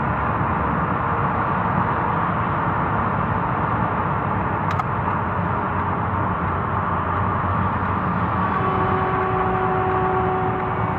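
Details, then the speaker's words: 2006 Subaru Outback on the road: steady high whine over road rumble when the throttle is lifted, gear whine from the front differential/transaxle due to old, low fluid or worn gear teeth. "that noise is called gearwine and most likely it's in the front transaxle and the result of either old fluid or worn teeth in the gears in the transaxle"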